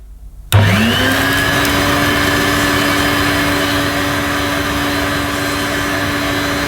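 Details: Electrolux 550 upright vacuum cleaner with a new bag fitted: the motor spins up fast to a steady whine with a coarse, slightly uneven hum underneath. It sounds rough; the cause is not pinned down.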